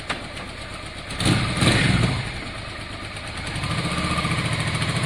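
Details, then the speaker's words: Motorcycle with a dented tank that the owner did a lot of work on: it catches with a short blip, then settles into a fairly even idle pulse with no knocks; runs smoothly. "he might make this his new bike you can hear how smooth it is malcolm yeah i did a lot of work on that"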